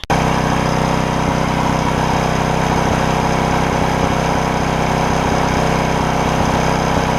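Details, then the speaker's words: Porter Cable generator, Briggs OHV, after replacing a bent pushrod and repairing the governor that had left the throttle stuck wide open; run almost 20 minutes, steady even drone at one speed, governor holding, no surging — normal governed run. "so we've run it for almost 20 minutes now and it's the governor's holding and all that good stuff"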